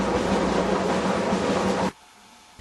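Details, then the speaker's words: Whirlpool dryer running: loud, coarse train-like rumble, then sudden cut-off; noise grows louder with use; cause is worn drum support rollers, checked by a gap between drum rear and back wall. "If your dryer starts making noises and the noises get louder the more you use your dryer until the dryer sounds like a train, you will need to check the drum support rollers."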